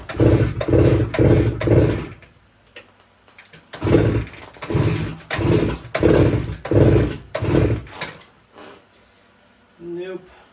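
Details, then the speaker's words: 1972 Suzuki TS185, fuel poured down the spark plug hole: eight kicks a second apart, short chuffing turnovers that never catch; still won't fire, owner suspects compression too low. "so she just doesn't want to fire up even with gas down the cylinder I'm really thinking that it's just got such a low compression that it can't can't fire up"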